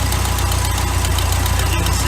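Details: 1981 Sea Sprite boat, OMC 140 hp inboard, after retarding ignition timing by rotating the distributor (mark now at 8 degrees): low, steady, evenly spaced idle pulses with no misses; idling smoothly.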